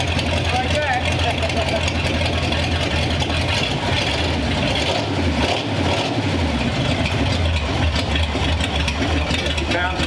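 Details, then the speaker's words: Long-stored 1934 Ford Delivery being revived, showing oil pressure: a low, steady idle with an even beat and no knocks or misses under the crowd noise; the engine sounds good and runs healthy. "Got a That's got a good sound. Oh yeah."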